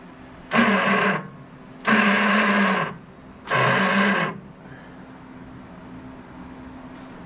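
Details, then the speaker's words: Troy-Bilt Bronco riding tractor, unstarted for over a year, weak battery: three short bursts of high whirring with the engine not turning over; starter spins free because the Bendix drive is rusted and stuck from sitting. "like our Bendix is stuck from sitting. You guys can see the rust on this bad boy."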